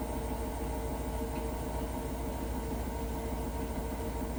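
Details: Hotpoint washing machine: steady low rumble with a loose rattle, about three beats a second, while the drum turns; abnormal noise, cause unclear.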